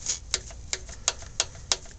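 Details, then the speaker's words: Engine with suspected flat hydraulic lifter, number two piston at top dead center on the firing stroke: crisp light ticks about three per second as the intake rocker is rocked by hand; slight free play, normal, unlike the exhaust rocker's excessive play. "just a little bit of movement you can hear it rocking back and forth right"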